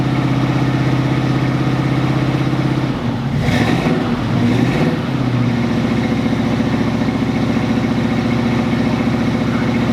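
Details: 1980 Chevrolet Camaro Z28, factory LM1 350 with Turbo 350 automatic, first start after being parked about 5 years: a steady deep V8 rumble at fast idle with a brief rev, even and smooth. The smoke is just the header cooking; it runs fine.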